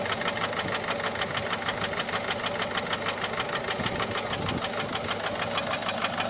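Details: Peugeot 407 1.6 HDi 90 diesel at idle: quick, fairly even light tick, about three per second, over the clatter. Noise began after a road drive, with slight white smoke from the rear. Mechanic suspects tappets (poussoirs) or camshaft, unconfirmed.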